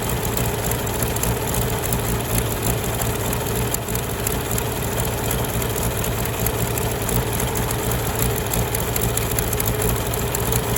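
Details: Farmall tractor (1949 H or 1968 656, unclear which), troubled by fuel problems and cutting out; carburetor adjusted after it hadn't run over 30 seconds, coolant was 2.5 gallons low. Steady, even low-pitched rumble at constant idle, no knocks or misfires; normal running.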